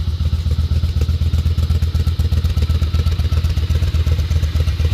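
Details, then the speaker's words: Honda Shadow Spirit VT750 with new Chinese carburetors, just started: steady, even loping V-twin idle with a deep regular pulse, no misses or stumbles; the Chinese carbs work really well, engine idles cleanly. "I thought they were going to suck because they were Chinese, but to be honest with you, they're working really, really well, and I'm actually quite surprised."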